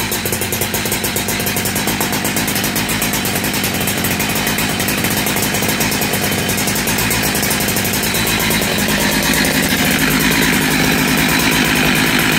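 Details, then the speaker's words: Cheap second-hand big bore 52mm 372XP chainsaw kit with a 272XP pop-up piston and thicker base gasket, first run after reassembly. A crisp, steady two-stroke buzz holds even revs and climbs cleanly with no misfire, running better than with the old piston. Normal running. "but yes it seems to run and she does seem to run better than she did with whatever pistol it was"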